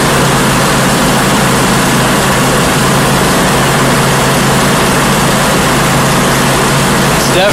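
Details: 1989 Pace Arrow RV after an alternator replacement: loud, steady engine run with an even low drone and no knocks or surging; healthy and charging at 13.9 V at the charge controller.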